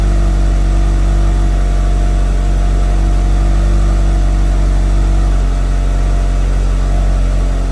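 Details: Mitsubishi Evo, first run after FP Red turbo install with MAP manifold and FP oil lines; built motor about 15,000 miles, 91,000-mile chassis: deep even idle, steady low rumble, no ticks, knocks or surges.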